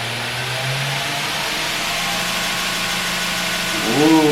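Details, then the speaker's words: B.A. Shredder 2x72 belt grinder on a VFD running 220V in an apartment, first start forward: motor spins up to a smooth, steady hum with clean drive whine, no rubbing or knocking; healthy. "that it sounds like a 2JZ all right let's try this reverse"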